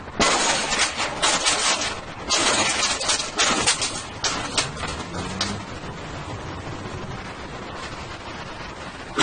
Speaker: however these dynamic forces can cause significant problems as seen in the picture that shows the failure of flexible joints due to steam hammer and in this youtube footage where you will hear and see the effects of water hammer